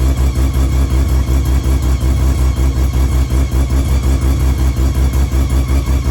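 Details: Car engine running: deep, even pulsing at steady speed with no misses or knocks. Timing is where it needs to be and the engine revs nicely.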